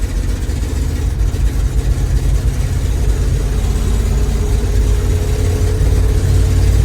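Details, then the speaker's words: 1982 International 1624 tow truck with a 345 V8, two-barrel carburetor and 4-speed, being driven 300 km home: deep rumble surging unevenly, then steadying as it pulls. It stumbles; owner suspects snow in the carburetor or needs more timing. "is that cuz you're getting snowed down your carburetor maybe you need a little more timing probably"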